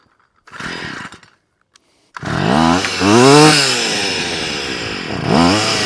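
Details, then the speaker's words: Stihl FS38 two-stroke strimmer after carb tuning (mixture richened, idle and slow screws reset after prior tampering): snaps up in pitch, eases back and revs again cleanly, no bogging; very responsive, head near enough not spinning at idle. "there you go right don't sound half bad very [Applause] responsive but head is near enough not touching not spinning"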